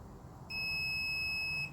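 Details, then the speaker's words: Mud mower (John Deere) kill circuit tested with meter, ignition switch off: one steady high beep about a second long, continuity from ground to the motor kill line; kill circuit grounded and working. "on ground we should have now we're in the we're in the off position we should have continuity to the motor line the motor line is uh y'all hear it the motor line is what kills your cool"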